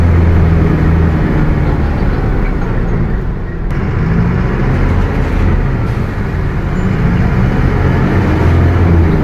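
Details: Bus with Mercedes-Benz OF 1721 BlueTec 5 chassis, Caio Apache Vip IV body, under way: low steady drone over heavy road rumble throughout, a rear-end howl that doesn't settle; differential howling.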